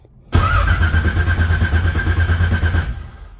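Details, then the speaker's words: 1980 Pontiac Trans Am V8, first start after distributor install and TH400 build: starter cranks in rapid steady pulses about two seconds without catching; no fuel pressure yet, cranking to fill carburettor float bowls. "see what the fuel pressure is at well we ain't even got no fuel pressure yet so if you want to take a little bit of cranking get some fuel up there"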